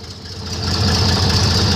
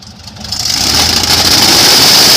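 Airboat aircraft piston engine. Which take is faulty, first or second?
first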